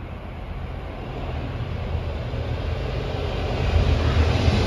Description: 6K30 with good thrash and unhealthy wheel flats